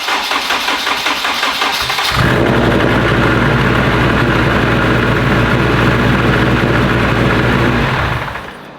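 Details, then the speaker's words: Modified Honda petrol engine with 2000cc injectors, first start on pump gas: cranks, catches and idles roughly, missing on a cylinder or two; later traced to a throttle body not opening (wiring) and injector scaling, suspected running very rich. "she's definitely missing on a cylinder or two"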